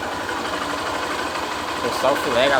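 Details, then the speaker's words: Honda Fan 125 single-cylinder after engine rebuild for a noise and new kick-start pedal: quiet idle with quick, even tick and steady beat, no knocking or rattle, no throttle needed; normal idle after repair. "Tá pegando legal, ó. Não precisa nem acelerar. Olha o barulho do motor aí."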